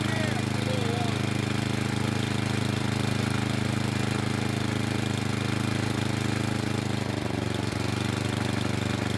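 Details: Craftsman snow blower with Tecumseh small single engine, cold start, on midway choke: chugs a little unevenly but not stalling. Typical rough running during cold warm-up before going to quarter choke.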